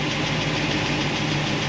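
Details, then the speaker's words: V8 with solid roller lifters on a hydraulic roller cam idling steadily with a light metallic valve-train tick near cylinder 7, which remained after the lifter change. "All right, I tracked down the valve train noise."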